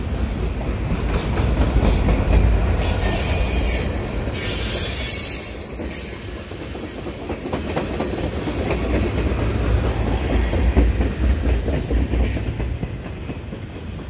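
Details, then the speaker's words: Westbound CPKC stack and mixed freight train (ES44AC, AC4400CWM, CN ET44DC DPU) at night on a curve under a bridge: shrill, piercing wheel flange squeal over the low rumble and clatter of passing wagons. "oh listen to this thing squeal squealing around the corner and it takes the curve under the [Music] bridge"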